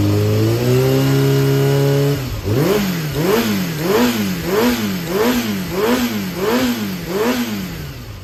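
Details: Yamaha XJR400 (4HM) engine assembly, running unit with no abnormal noise or white smoke, compression tested: smooth steady idle then repeated clean revs rising and falling about once a second, no knocking or rattle; normal running and revving.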